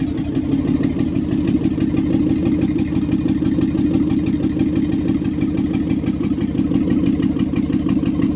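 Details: Used marketplace 6.0L LS V8 on an engine stand with a standalone harness, just after its first start. Even, steady, quick firing pulses with no knocks or misses. Oil pressure is unknown and a little smoke was noted. Normal running on the engine stand.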